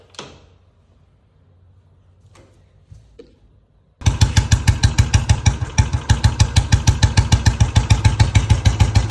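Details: Old-model Bullet single during tappet setting at home: after a quiet start it settles into steady, evenly spaced thumps about three a second with no tappet clatter, a normal idle.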